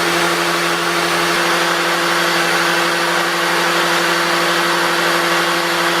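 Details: 350 Chevy with Vortec heads and flat tappet cam, priming oil pump with a drill before first start: steady high drill whine, no surging or grinding; after 2 minutes oil at every rocker, 50 psi pressure; priming normally.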